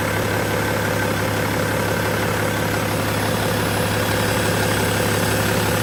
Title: BMW E61 525d LCI Motorgeräusche, Turbo